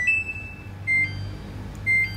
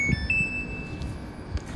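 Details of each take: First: Samsung washing machine not spinning: three short high beeps about a second apart over quiet hum; dE door error code, caused by a faulty door magnet switch, bypassed by jumpering. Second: Samsung washing machine after jumpering the corroded door switch wiring, spin started: short high beep, then a steady high tone over a second, no dE door error beeps; normal control beeps.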